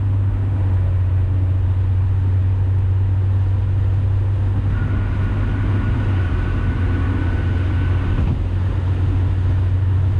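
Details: 2000 Honda Civic under normal acceleration with the cat removed: eBay header and test pipe, OE piping, newly installed resonator, and OE-style muffler. A deep, smooth, steady drone with no raspy or tinny edge. The exhaust sounds clean and quiet once the resonator is added.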